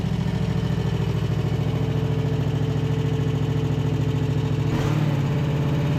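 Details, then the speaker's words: Husqvarna RZ5424 zero-turn mower, just running again after a hidden safety switch was found; starter still sounds bad. First hydrostatic drive test: steady, even engine firing with a smooth throttle change, hydro sounds good and tracks straight. Normal running. "Hydro sound good so [Music] far seems to be tracking straight nice I'll call that a win right there"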